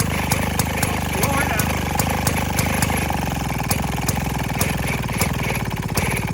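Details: 1928 Maytag gasoline washing-machine engine, nearly 100 years old, on a cart, just started: steady single-cylinder putter with crisp regular firing pulses and a low exhaust thump, no misses or knocks; healthy running engine.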